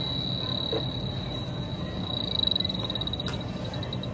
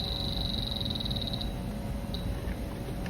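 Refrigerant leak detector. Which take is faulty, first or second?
first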